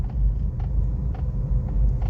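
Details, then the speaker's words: Suzuki Baleno, electric power steering column gear dry from grease drying out, while driving and steering slightly: sharp knocks about every half second over low road rumble; steering was also hard and slow to return. "देखा है cut cut मार रहा है काफी आवाज ए रहा है गंदा"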